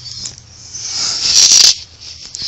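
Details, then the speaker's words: Synology DS410 NAS enclosure with a dropped drive screw inside; light metallic rattle swelling as the case is tilted upside down — loose screw rattling inside enclosure. "I hear it that's not a good sound I'm gonna have to turn this thing upside down um for a moment there we go"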